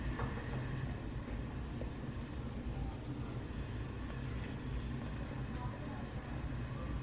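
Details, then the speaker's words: Household gas stove burner at full flame after checking the burner cap sits flush metal-to-metal, free of debris or oil; soft even roar, none of the popping or flame flare it had at high flame. "มีเสียงผึบๆออกมานะครับเปิดสุดไม่มีเสียงผึบๆออกมา"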